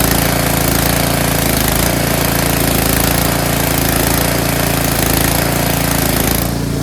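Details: Tecumseh snowblower engine after cleaning a clogged pilot jet in the carburetor to cure surging; steady, even beat around four firings a second with no hunting or surging, running healthy.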